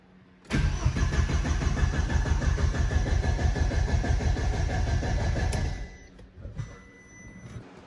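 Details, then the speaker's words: B5A4 engine first start attempt on newly installed standalone ECU after timing adjustment; about five seconds of steady starter cranking, roughly three pulses a second, never catches; ignition coils fire but injectors get no power. "Got to the injectors, none of them had power. Well, none of them would fire."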